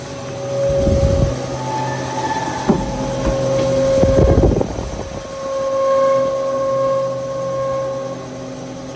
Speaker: can hear the bearings. That's what you got. Bad fan bearings.